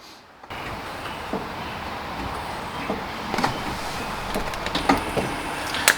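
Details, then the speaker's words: C8 Corvette brake fluid change: with the bleeder valve cracked open, the ABS pump is run from a Launch scan tool. A steady electric motor hum starts and holds evenly as it pushes fluid through: normal ABS pump operation. "We're going to crack open the main bleeder valve, let the ABS pump work and push the fluid through, close it up, and then move on to the rear passenger."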